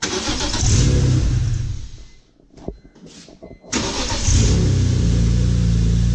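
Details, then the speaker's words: BMW E46 M3 S54 straight-six on its first start after a VANOS rebuild and valve cover gasket job. It cranks briefly and is shut off on purpose to build pressure, then catches cleanly and settles into a steady, even idle; sounds like a new engine. "Oh yeah, she goes. Sounds like a new engine."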